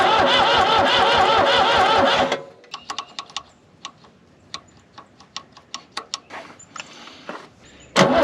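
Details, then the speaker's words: New Holland L783 diesel skid steer, bought at auction as hard to start: a long, even cranking churn that never fires. Air was in the fuel system; it was primed with diesel and bled by cranking, and started after starter spray. "So, I had to prime this with diesel, then bleed this out by cranking the engine. This is broken, but then it fired up."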